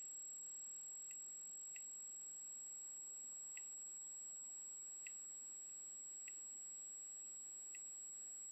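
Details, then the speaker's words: Simple DIY Geiger counter on a 9 V bench supply with americium from a smoke detector placed by the tube: faint, irregular ticks about one per second over the transformer's thin high whine; the counter is working normally. "clicking so as you can hear this thing works perfectly and I hope you could hear those clicks on the pzo wether but this Sky counter works very well"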